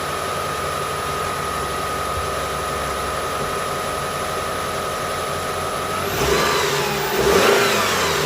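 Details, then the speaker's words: Engine after replacing the belt tensioner, idler pulley and drive belt: a steady idle that revs up smoothly with no pulley whine or grind. Only a faint squeak from the new belt remains, expected to settle with driving. "All good, guys. So there's a little bit squeak in the belt, the drive belt, but that will be gone soon because we just put it the belt now."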